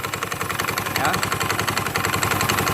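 Rough, fast rattling chatter rides over the idling scooter engine from the front pulley area, pointing to worn drive parts. Cause suspected, not confirmed.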